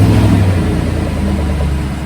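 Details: 2018 Silverado 1500 5.3L V8 with a 6L80E, first start after a billet torque converter, bigger transmission cooler and new lines, with a check engine light on: it catches, flares, then settles into a smooth idle with no whine, clunk or rattle.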